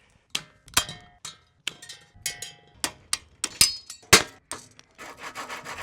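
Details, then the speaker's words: Old bicycle at the start of restoration: dry, gritty rasping in uneven strokes as the part is turned. Suspected dry bearings, likely ungreased for about 10 years. "That sounds like dry bearings for about 10 years."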